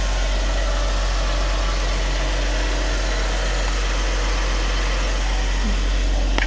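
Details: 2014 Jeep Wrangler JK, 3.6L Pentastar V6, idling after oil pump replacement with no leaks: even steady low idle, smooth rhythm, no knocking or ticking, runs as always; oil pressure still pegged at 99 psi, owner suspects the sending unit.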